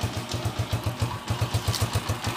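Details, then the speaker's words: TMX 155 single after overhaul for a noisy, knocking engine: even thumping at about five beats a second with no knock or rattle; quiet now, carburetor tuning still somewhat off. Normal engine running. "Pero tahimik na mga kabro yung kanyang makina."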